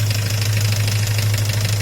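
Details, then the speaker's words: Great Wall Pegasus engine at idle: light quick metallic ticking at an even rate; new hydraulic lifters didn't help, endoscope traces a ringing sound to oil pump drive area, hopefully not camshaft; cause unconfirmed. "кто-то нас тарабанит. Работа двигателя такая. Думал, гидрокомпенсаторы поменял, ничего не изменилось."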